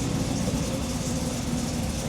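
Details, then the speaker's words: Project engine with Sniper setup, just started out of gear and idling: quiet, steady low rumble with no ticking, knocking or stumble. Runs good and sounds healthy. "sounds really good motor's super quiet huge progress for this guy"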